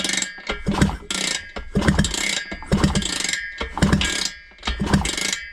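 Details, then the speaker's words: Vespa with Polini 177 big-bore kit after swapping base gasket, one head stud cross-threaded: kicked over with steady chuffing about once a second and no air hissing from the base gasket; good compression. "To be honest, that is loads better. There's no air hissing out. I'm very surprised."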